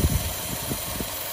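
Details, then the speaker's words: 2014 Chevy Cruze with codes P0171, P0106, P1101: rough, lurching idle with low thumps and shaking from a failed PCV valve vacuum leak in the valve cover; covering it stabilizes idle. "and I already hear it and I can't just pop this out you hear that the bad so listen look what happens when I when I hold it the engine stabilizes they go starts to run rough"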